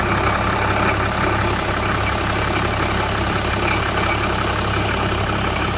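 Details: BMW E61 535d pre-LCI diesel at idle with a busy, rattly hiss over the low drone, coming from the EGR cooler area; source unidentified.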